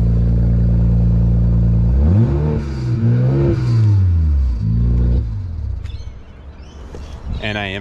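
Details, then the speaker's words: BMW E92 335i DCT parts car, engine still cold, revving: clean, smooth rise and fall with no knocks, rattles or funny noises; healthy engine. "yeah listen to that he's a good one [Music] no funny noises all right"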